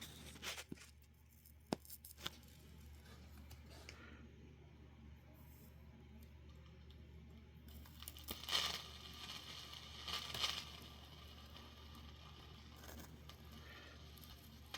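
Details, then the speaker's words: 1960s Electrohome Manhattan AM/FM tube table radio powered up with a tube removed: irregular sharp crackles and snapping over a low hum as current arcs across a carbon-tracked tube socket. "man. That is carbon tracking if I have ever seen carbon tracking. And this is why you never leave a piece of vintage gear plugged in unattended."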